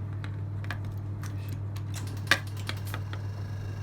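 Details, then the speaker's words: Yamaha XVS 1100 after a full carburettor service and refit, key turned on with the fuel tap on reserve: quick sharp ticks over a low hum as the fuel pump primes the carbs. This is normal, healthy priming. "hear the familiar clicking sound as fuel is drawn through from the tank."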